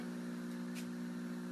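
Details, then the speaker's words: Old TV set, older than the owner: steady low buzz with a ringing overtone that never changes; constant electrical buzz, cause unknown. "I cannot LIF the TV with one hand it's heavy it's really heavy so I did it but it constantly makes this buzzing noise which I hated this"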